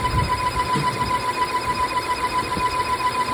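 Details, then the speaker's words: Volvo petrol engine idling with a thin, steady high whistle over the rumble, a belt-like chirp/whine caused by a faulty PCV valve. "2018 solmente tienen esos problemas que encuentran sonidos como de esa manera como que fuera faja."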